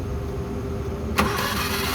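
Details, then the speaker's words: Suzuki F6A engine in a Multicab that suddenly died while driving, cranked on the starter: quick, smooth, even whir with no firing or compression pulses. No compression; the timing belt is suspected broken. "Parang walang kompresyon ah. Putol belt nito, putol. Tingnan natin yung timing belt. Posible itong putol."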